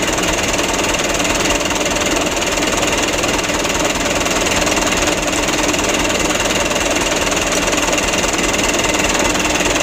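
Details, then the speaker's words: 2008 Mitsubishi Canter 125 diesel at idle after adjustment/tune-up that fixed shaking idle: steady even idle with soft regular beat around two per second, no misses or stumbles; running smoothly. "untuk penyetelannya sutelo ini sudah sama-sama kita lihat ya alhamdulillah untuk hasilnya seperti ini"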